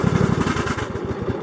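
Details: Repaired Craftsman GS 6500 riding mower after new parts, blade sharpening and brake adjustment: steady, even chug of a small single-cylinder engine at a settled speed, regular firing with no knocks or misses. Normal running.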